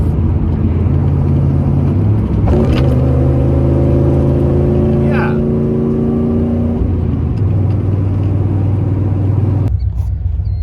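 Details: OBS Ford truck after a Saginaw power steering pump swap, driving with loud exhaust drone through a clutch downshift, steady engine tones and no steering whine; the new pump sounds healthy.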